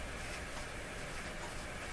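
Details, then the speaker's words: Dominion Electrohome TR50 console receiver, which doesn't work on AM or FM, fed a strong FM signal from a generator at about 100 MHz, gives only a flat, steady hiss with no signal; the cause is not yet found. "Not a thing. Nothing whatsoever. Very surprising. She's dead, Jim."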